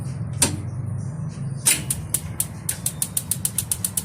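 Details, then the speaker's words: Propane tankless water heater with good battery and water pressure; steady sharp clicks about four per second, no flame whoosh: igniter sparking but burner not lighting, gas solenoid suspected. "uh you can hear the igniter but it just won't light up you can see here that we have battery as well"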